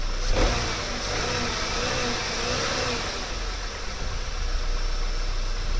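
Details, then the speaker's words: Vauxhall Vectra C 2.2 direct-injection petrol, after refitting fuel pressure regulator during fault finding: brief crank, clean catch, quiet even idle, no misses or fuel leaks; idles fine but reportedly misbehaves on the road. "That sounds pretty good. No leaks. Nice and quiet. There we go, so that's it running."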